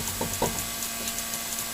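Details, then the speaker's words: Suzuki SX4 front wheel bearing, car jacked up: rocking wheel top to bottom by hand gives a couple of dull clunks from play, little side-to-side; worn front wheel bearing starting to go bad, before replacement. "how how I can tell the wheel bearing's bad and right there that little bit of play there you can really hear it"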